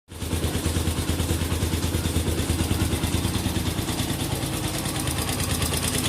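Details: Honda XR200R single-cylinder recently bought, owner believes noise abnormal; idle with light rhythmic clatter about two beats a second over exhaust: abnormal engine noise, cause unclear.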